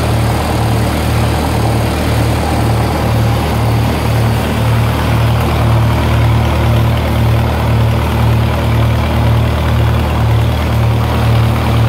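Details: 1948 Lincoln SA-200 welder engine, long set aside unused and got running with very little work: a steady, even, low idle with a smooth regular pulse and no knocks or misses. Normal idle.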